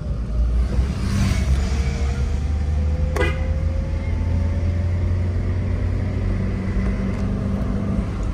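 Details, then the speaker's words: Toyota Avanza pulling away: deep road rumble with a sharp crack on initial throttle at low rpm; a separate differential drone is also present. "Jadi kita agas tipis aja gitu suara krek krek gitu. Oh, angkatan tuh gitu ya. Terus suaranya krek gitu."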